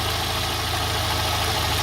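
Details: Petrol engine with a hunting, uneven idle that never settles. Valves were adjusted, spark plugs replaced, compression checked even, and the throttle body cleaned, with no improvement yet; cause unknown.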